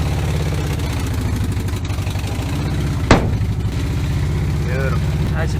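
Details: 1970 VW T2 Bay Window Bus, air-cooled, first run after sitting 10 years: a low, steady, even thrumming with a regular beat and no knocks or misses. The engine runs on its own.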